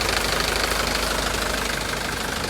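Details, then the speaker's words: Mitsubishi Canter diesel truck idling cold: constant airy hiss, like something rubbing, over steady clatter. Source unconfirmed; an exhaust leak, which would affect the exhaust brake, is considered. "Jadi jika terjadi kebocoran, jika ada kebocoran pada knalpot, hal itu akan memengaruhi rem knalpot."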